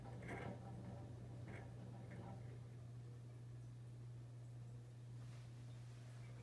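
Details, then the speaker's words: Ceiling fan model 1895 with a metal flywheel and no rubber anywhere: constant low electrical hum behind the speaker under quiet room noise; a noisy fan by design. "if you guys can hear that background hum on the video that's 1895 right behind my head with a metal flywheel it is really a noisy fan it's one of the downsides of 1895"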